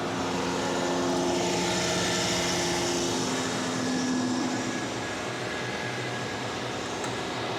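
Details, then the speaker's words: 1991 Toyota 4Runner after nearly 10 years sitting; needed throttle to get it going and it wouldn't idle well. Uneven, lumpy idle with shaky pitch: rough idle after long storage. "all right so when i started it i kind of had to put my foot into it to get it rolling yeah and it didn't want to idle very good"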